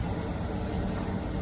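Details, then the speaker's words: Chevy Suburban petrol V8 at normal idle after a bad ignition coil was found by swapping coils for a cylinder one misfire: a steady, even low rumble, misfire counts now zero; the engine light remains on for some other reason. "I went to three and now zero so problem fixed still got an engine light though for some other reason"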